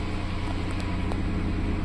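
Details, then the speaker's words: 2012 Dodge Caravan that cranked but would not start after its coolant temperature sensor connector broke; the fault was in the engine computer itself. Now running with a steady, even low rumble, no knocks, and temperature rising; normal running. "حاليا الوضع طبيعي والسياره تشتغل وهاي الحماوه بدات تصعد والوضع من اروع"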